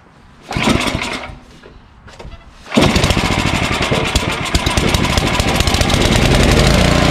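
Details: Ariens ST1128 snowblower, 11HP Tecumseh Snow King engine, after carburetor cleaning that fixed surging: catches after a couple of pulls, then settles into an even, steady single-cylinder run with no surging or hunting.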